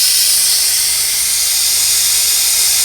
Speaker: So at this point, it's literally just pulling air, and you can kind of bounce this around just to make sure that there's nothing left in there.